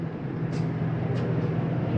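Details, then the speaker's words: 2023 Jayco Eagle HT 280RSOK trailer, main rooftop AC switched on, then the second AC: steady low hum with an even airflow rush, no rattles or cycling; the AC is running normally. "let's turn on our main AC you hear that running you can go through your mode here and change it to heat to cool Auto our second AC turn that on"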